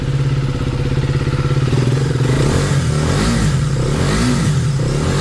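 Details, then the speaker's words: KTM Duke 250 after engine noise repair, rebuilt with timing checked and oil refilled: even single-cylinder thump, clean revs, no ticking or clatter; engine now silent, normal running. "अब कोई आवाज नहीं है। बिल्कुल fine condition."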